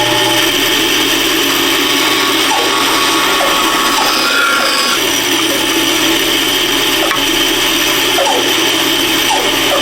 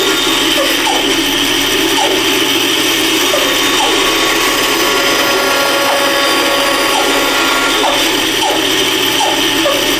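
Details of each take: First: Band saw cutting the bottom piece of a wooden candle holder: steady high-pitched whirring rasp with a thin constant ring on top, the guide bearings touching the blade, which is what they normally do. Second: Router with a bearing-guided bit cutting a wooden Christmas tree candle holder: steady high-pitched motor whine with a light rubbing hiss along the cut. Just the pilot bearing touching the wood, normal.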